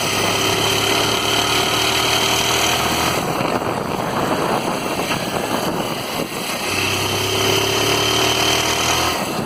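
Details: Honda Titan 160 motorcycle single-cylinder engine at steady idle with a rough, gritty mechanical rumble under the exhaust note; worn crankshaft bearings, fixed by replacing the crankshaft, bearings and both engine covers.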